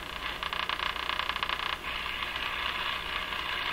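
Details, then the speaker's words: Crosley 43FB farm radio, after replacing wrongly sized capacitors: quick ticking over loud hiss, then steady hiss, heard only when the AVC turns up gain between stations; interference, cause unclear, seems to come in on the antenna. "You can see that you can only hear the ticking when the AVC has turned up the radio in between stations, or other noise signals."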